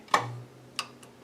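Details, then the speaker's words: 25-inch K7500 arcade monitor chassis, powered up after repair: a sharp click, then repeated faint ticking as the supply restarts because the newly fitted horizontal output transistor shorted immediately. "nope you can hear it ticking shorted immediately listen so unfortunately something's taken out the hot"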